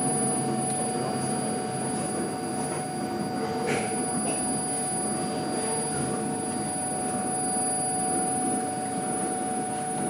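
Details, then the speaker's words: CNC filament winding machine (IUT Nantes SGM department) winding glass or carbon fibre onto a mandrel, somewhat home-made but works well: steady even hum, a few constant tones, light mechanical rustle, no knocks or grinding; normal running. "c'est un peu bricolage sgm mais ça marche bien"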